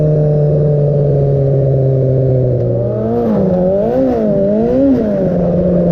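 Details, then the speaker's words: 300hp turbo Hayabusa-engined crosskart on a short test drive: steady drone, then pitch surges and sags instead of climbing; stumbles at high revs under load though it revs fine in neutral. Cause not confirmed. "let's do short test-drive biggest you will hear that that engine doesn't run well"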